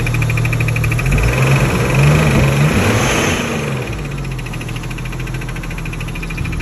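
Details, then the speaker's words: Freshly rebuilt engine in an R32: light, quick ticking that speeds up with revs but gets no louder. It persists with all belts removed and is heard only at the fuel rail and injectors, matching them; cause not yet found. "the only place that i heard it was on the fuel rail and at each injector and then always matches the injectors perfectly and if i rev it it speeds up it doesn't get any louder"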